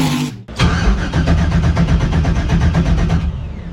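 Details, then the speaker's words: Freshly rebuilt Maliboom engine, first start attempt, starter button hit repeatedly after it had only clicked: a short burst of fast, even cranking stops after three seconds without firing; the starter engages intermittently. "so what we'll do is we'll just keep banging on the butt until it actually goes and we'll see if it'll fire up"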